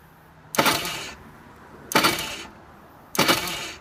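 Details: Vortex Mini Rok kart engine, hard starting. Three short rushing starter bursts about a second apart with no engine catching; the bendix isn't throwing the starter gear into mesh.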